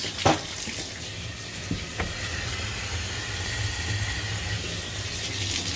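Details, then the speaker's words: Water turned back on after replacing the busted Symmons valve: a steady rushing flow with no spitting, hammering or hissing at the fittings. No leaks. "okay I'm going to turn the water there you go no leaks"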